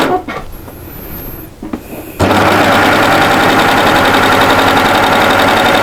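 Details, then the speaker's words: Baby Lock overlocker sewing a one-needle three-thread rolled hem on the front of a lightweight top, front of the presser foot lifted to catch the fabric; after a quiet moment it runs at a smooth, steady, fast stitch rate with no knocks or catches, healthy. "so we're going on the front and we're using a rolled hem one needle three threads not easy to say"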